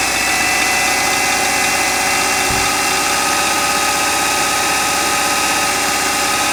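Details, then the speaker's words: Subaru boxer engine at a salvage yard, started cold: a fast, light tapping knock begins just after start-up over a busy idle. It has knocked for over three years while still driving; cause unknown. "так вот смотрите получается завелся начинает простукивать и начинаем делать вот так"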